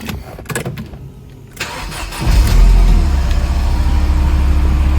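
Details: 1995 Mercedes E220 2.2i W124 Cabrio after the immobiliser key was synchronised to fix a no-start and central-locking fault: a few handling clicks, a brief crank, then it catches cleanly and settles to a steady low idle.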